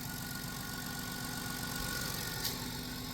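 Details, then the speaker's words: 2000 Chrysler Grand Voyager, 114,000 miles, first start after 8 years sitting, belt cut because of seized alternator: smooth, even low idle with a steady hum and no ticking or knocking; normal idle. "And it's so quiet. It's so quiet because nothing's spinning. It just fired right up."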